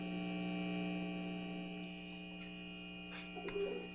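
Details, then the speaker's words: 1970s Kustom Sidewinder 24C guitar amp at full volume with no instrument plugged in; steady low buzzing drone with even overtones and nothing else heard; mains hum, cause not yet found, bass control also behaving oddly. "i'm hearing the hum i'm not really hearing anything else right now"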